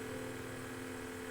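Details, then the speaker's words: Sony DVP-C660 DVD changer with jammed disc tray, top off: steady even motor whir with no movement as the worn rubber tray drive belt slips; needs a new belt. "You hear the motor trying to turn, but it's slipping."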